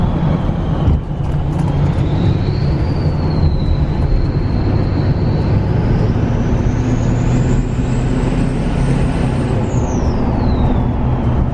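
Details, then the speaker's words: Diesel truck with a newly installed 68mm turbo, owner gradually raising boost without hard throttle: a clean whistle climbs over a deep diesel drone, then drops off; loud turbo spool that sounds really good, healthy. "gosh it's loud turbo I hope up my audio is picking that up it sounds really good"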